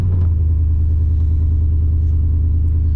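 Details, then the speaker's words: 1997 Chevy K1500 5.7 Vortec V8 with JBA headers, Airaid intake: heavy low rumble at idle with uneven pulsing about two per second; rough, missing, with ongoing black smoke, backfiring, popping, sometimes flashing check engine light; owner suspects a cracked head, unconfirmed. "fires up uh but the the problems that it had a while ago that we thought we solved that we really didn't solve with like the blowing out you know the black suit the black smoke stuff like that the back firing the popping and stuff like that that stuff is still hanging in here"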